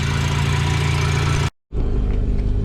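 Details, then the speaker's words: Mazda FC RX-7 rotary before a test drive: steady raised idle around 2,000 rpm with a smooth buzzing drone; a vacuum leak is suspected, unconfirmed, and the idle might come down. "That's a vacuum leak somewhere. It's idling kind of high. Around 2,000 RPMs. Might come down."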